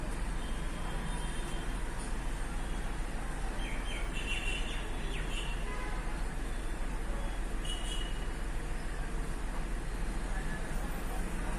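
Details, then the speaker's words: Hyundai Xcent diesel after the accelerator is released at about 2000 rpm: regular knocking over an uneven idle, misfiring and heavy white smoke. The scan showed no engine fault, and injectors and pump were already checked. Cause was a faulty ECM. "और इसका engine knocking कर रहा है क कड़ क और white smoke मार रहा है"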